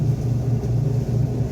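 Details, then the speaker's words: Electrolux washing machine during spin test after fixing the noise from a motor pulley part and slipping belt: smooth, steady low drone with no squeal or slipping, spinning normally. "Aquí vemos que ya no se está expulsando el agua y ya esperemos que drene en su totalidad y arranque a girar. Bueno, vean ahí ya arrancó su centrifocado."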